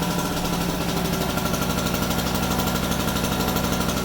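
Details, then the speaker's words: Harbor Freight 800 W two-stroke portable generator idling on run position, slight smoke, no load yet; fast buzzy two-stroke chatter with steady even beat, no misses or surging, normal idle. "That's pretty typical for a 2-stroke engine. So let it run for about a minute, kind of warm itself up or two, and then we'll plug in the extension cord."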